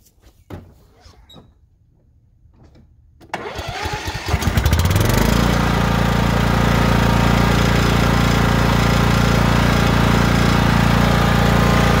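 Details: Lawn mower after its leaking valve cover gasket was fixed with silicone; bolts had vibrated out and oil dripped onto the exhaust, causing white smoke. Short crank, catches about three seconds in, settles into a steady, even run; smoke gone, pulley works; normal running.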